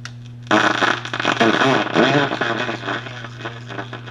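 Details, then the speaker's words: 1937 Gilfillan 731T-C radio, signal tracer on the 6F6 audio power tube grid, distortion eased at about half gain on the potentiometer; harsh, crackly program audio with rough fuzzy edges, heard from both the tracer speakers and the radio speaker. "so again you can hear the Distortion and again I can minimize that Distortion uh with about maybe half gain or so on the potentiometer"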